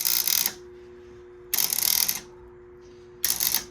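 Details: Warn 8074 winch after fixing the keyway and refilling with about 6 oz of oil: three short bursts of even motor whir, each starting and stopping cleanly with no grinding, pulling in normally; winching out does not work, and a bad solenoid is suspected.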